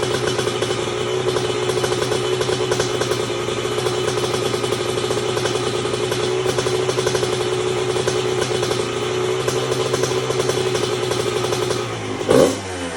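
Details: 1997 Honda CR125 two-stroke, first run after rebuild with new Vertex B piston in a lightly honed cast-iron bore: crisp steady high buzz with light clatter, then a quick blip; healthy fresh top end.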